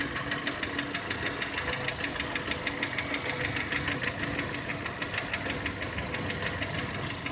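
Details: 2010 VW Touran 1.6 BSE warming after two days parked: as idle revs drop below 1000, steady light ticking knock about three per second starts, quietening as it warms, stopping above 1000; seems left side. Rebuilt just over 15,000 ago: new pistons, valves, hydraulic lifters, bored block.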